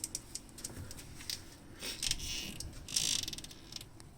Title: Morgan 3 wheeler M3W squeaky noise